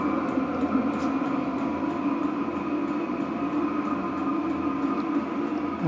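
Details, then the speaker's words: Vevor diesel heater (8 kW) running about an hour on a used fryer oil and diesel mix: steady whooshing burn with constant fan tone, no sputter, pulsing or surging; burning the fuel without problems. "हमने उपकरण को बंद कर दिया और इसे लगभग एक घंटे के लिए चालू कर दिया और यह बाइक के तेल और डीजल के साथ काम करना जारी रखता है, इसलिए ऐसा लगता है कि उन्हें जलाने में कोई समस्या नहीं है।"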